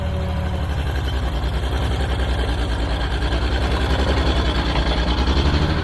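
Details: Old Caterpillar D6 dozer diesel started after fuel was found to be the problem: deep, even thump at roughly 200 beats a minute, steady, no misses or knocks; normal idle.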